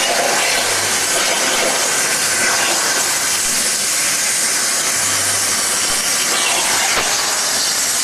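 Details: Hypertherm MaxPro200 on a CNC plasma water table cutting plate; loud even unbroken hiss with no sputter or popping, normal plasma cutting.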